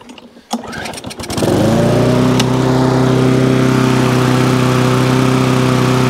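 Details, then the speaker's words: Briggs and Stratton lawn mower engine after a carburettor clean: starts after a few rough pulls, then a steady, even single-cylinder drone with no misses or hunting, and it stops properly; normal running. "so there you go start stops cuts does what it should do quick little carburetor clean new"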